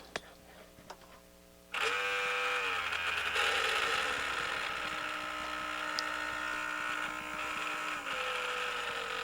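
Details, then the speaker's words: A Sanyo VCR-6100 Betacord VCR's motor, bench-powered from a supply, spins up with a harsh, rattly, steady high whir, rougher than it should be. A dry bearing is possible; the owner lubricates the bearing with 3-in-1 oil next. "listen to that motor that sounds horrible wow let's lubricate this first"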